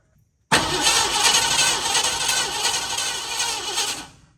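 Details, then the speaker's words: Blue dually truck, battery hooked up and key cranked to test the fuel pump: starter turns the engine steadily for a few seconds with little fuel and only a burp, no start; starter solenoid then stuck engaged, so fuel pump replacement is planned. "all right well I turned the key off and the starter would not disengage so I got a stuck starter solenoid and I wasn't seeing too much fuel to be honest and I I seem like a little burp but that was about it"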